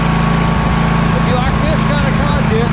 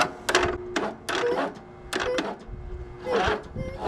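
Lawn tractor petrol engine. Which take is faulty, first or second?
second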